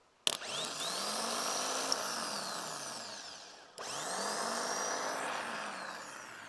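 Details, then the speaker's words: Replacement starter motor for a long-sitting Doosan excavator, bench-spun with a boost pack on the solenoid before fitting; the old starter rattled badly. It spins up sharply to a strong, steady whine and winds down smoothly twice; normal operation. "there's a lot more life in that so we'll get this on the machine now pretty sharpish"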